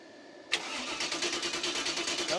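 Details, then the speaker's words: 305 Chevy small-block V8 swapped into a Cub Cadet garden tractor, cranked with a new fuel pump fitted: starter spins evenly, about eight pulses a second, but never catches because no fuel is reaching it; carburetor may need a rebuild. "I'll see if you can figure out what's wrong with this thing. It ain't got no gas in it. Well, no fuel."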